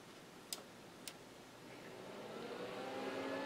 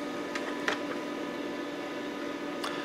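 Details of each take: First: About 20-year-old Micron Home MPC with a Pentium MMX 200, first boot since the factory, on the bench with the cover off and all drives disconnected: two switch clicks, then the power supply fans whoosh smoothly up to speed. Power light comes on. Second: Micron Home MPC with cover off on the bench, first boot since the factory, in the Windows 95 setup wizard: constant droning hum with a fixed whine on top, a super loud PC cooling fan.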